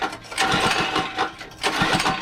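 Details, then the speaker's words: Mini bike sitting a couple of years, first start attempt: short, uneven sputtering bursts that surge and fade, staying on only a second or two; dirty carburetor needs cleaning. Engine sputters and will not keep running. "she wants to start but she's just dirty"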